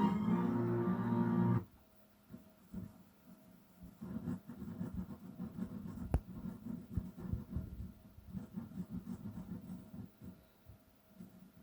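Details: Yamaha RX-330 stereo receiver (probably late 80s/early 90s) on service: music drops out abruptly, then comes through in scratchy, uneven bursts as the volume knob moves, crackling from a dirty volume control.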